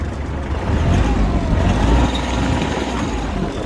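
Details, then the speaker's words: Kubota GL25 mini tractor diesel, 500 hours, power steering, just started with fast-turn engaged: even, soft low idle with a steady beat, no knocks or rattles, running smoothly; a belt was heard whistling slightly, to be tightened. Normal idle. "Я думаю, что прекрасно слышно, как работает трактор. Работает он очень хорошо и очень мягко."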